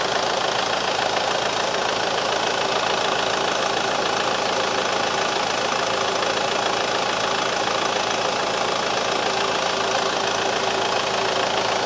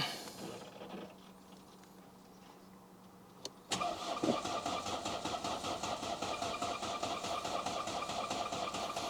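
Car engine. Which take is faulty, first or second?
second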